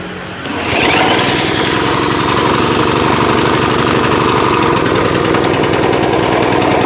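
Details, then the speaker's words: Honda GX160-type petrol water pump engine that idles but dies under pumping load, started via drill: loose rattling knock each revolution at idle; owner suspects parts touching or a worn connecting rod, to be disassembled. "ada suara kelotok-kelotoknya ya enggak tahu ini ada yang bersinggungan atau memang stang kistonnya agak guni ya"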